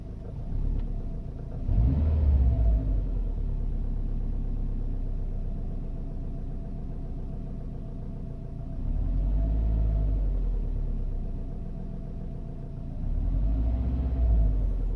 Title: 2012 Subaru WRX knocking sound